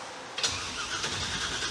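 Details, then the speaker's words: 1963 Chevy Impala rat rod with a big-block Chevy V8, fitted with a replacement starter ordered for a '97 Camaro after the first one stayed engaged. The starter bites straight away and cranks briskly and evenly with no grinding. Normal cranking. "Nice. The starter works."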